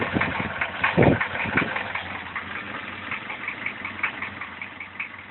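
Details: Engine idling after the timing chain was tensioned and the valves were adjusted: uneven knocking over a rough idle, heaviest in the first two seconds and then settling. The chain is stretched but a tensioner extender is fitted; the cause is unknown.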